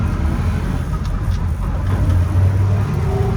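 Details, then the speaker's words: Toyota FJ40 Land Cruiser running through the gears in a parking lot; low steady drivetrain rumble with mild gear hum, which the owner considers normal for FJ40s, though fourth has a bit more whine. Normal gearbox gear noise. "now like most fj40s it's got some gear noise um i think that's pretty much normal"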